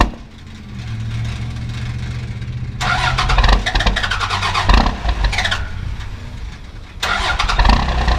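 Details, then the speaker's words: 1994 Cummins P-pump diesel with over-advanced timing and overfueling, cold start at 22 degrees, no grid-heater cycle: long slow cranking, then loud uneven clattering bursts and surges; rough cold start. "oh gosh that was pretty rough but they kind of I mean it's a bad idea and actually usually starts pretty easy"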